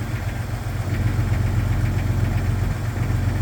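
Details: 1999 Jeep XJ Cherokee, cold start idle: low, even knocking nearly four beats a second deep in the engine; suspected piston slap, unconfirmed.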